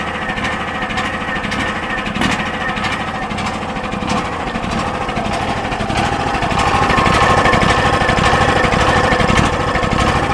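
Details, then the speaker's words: DuroMax XP10000E 10000 W portable generator with a tri-fuel conversion kit fitted, started with no load: engine thumps away steadily, then its pitch and loudness drop as the idle control idles it down. "And as you can hear, that's the idle control. It idles it down when the electricity is not in use."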